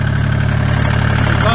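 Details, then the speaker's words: 1986 Kubota L2550 4WD diesel tractor, after a no-start caused by a failed fuel lift pump, now runs on a temporarily wired new electric pump: steady, even idle with a firm low thrum, no misses or knocks. "but i just started the thing up and it's running as you can hear"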